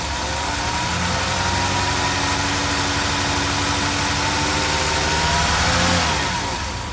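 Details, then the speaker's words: 1982 Mercedes 380SL V8 at idle just after a new oil-preloaded timing chain tensioner was fitted, first start after sitting a long time: a steady, even, quiet idle with a smooth low hum and no ticking or chain rattle; the engine sounds healthy. "well she sounds pretty darn good doesn't it wow that's the best that sounded yet"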